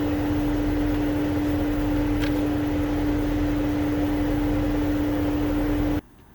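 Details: 2008 Mercedes-Benz CL500 (W216), no heat, climate control unit not communicating on CAN (code 0237 fan request implausible): constant loud roar of air with steady hum, then cuts off; engine cooling fan stuck on high speed.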